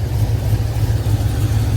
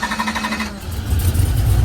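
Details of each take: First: Box Chevy V8 after cam install, idling with deep uneven loping chop; exhaust quieter than before; owner suspects the fuel pump isn't delivering enough, since it wants more gas when coming off throttle. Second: Box Chevy V8 just after cam install, started and blipped: deep choppy lope, strong throttle response, runs well; longer pushrods fitted cured an earlier noise, fuel filter added after injector contamination.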